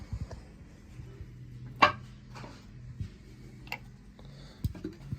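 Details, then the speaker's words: Small-block Ford engine turned over slowly after a rod bearing change: a few isolated sharp clicks felt through the rocker arm and pushrod. A failed lifter or a broken or sliding valve spring is suspected; cause unconfirmed. "it feels like it's either in the lifter or maybe we've got a broke valve spring I don't see any of this broken but you can hear it clicking listen to this"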